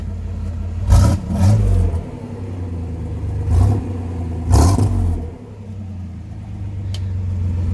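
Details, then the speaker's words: Chevy G10 Gambler van with the cheapest parts-store muffler and a tucked-up tailpipe just fitted, engine blipped a few times: a deep mellow rumble rising and falling cleanly with no rasp or rattle; normal exhaust note. "There we go. It's really not incredibly loud, and it sounds pretty good."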